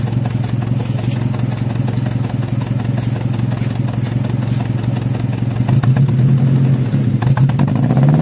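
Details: Daihatsu Taruna EFI in neutral, complaint of stumbling and lack of power, no DTCs; exhaust rising under throttle with uneven stumbling pulses and clatter, misfire from oil-fouled spark plugs and leaking coil extension, before tune-up.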